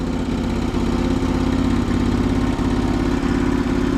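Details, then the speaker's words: Antique small tractor engine at cold start, possibly over-fueled: uneven, lumpy idle with irregular stumbling firing pulses; fussy rough running, cause not evident. "Come on, little pony. Come on. Man. This thing is gonna be fussy."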